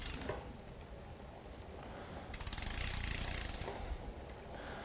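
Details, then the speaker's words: Shimano Dura-Ace 10-speed rear derailleur being indexed on a stand with no load: light, uneven chatter as the chain hesitates before popping onto the next sprocket; cable tension too low, raised by turning the barrel adjuster anticlockwise. "you can hear should be able to hear that it's trying attempting to change and there it is and it just pops up onto the next sprocket"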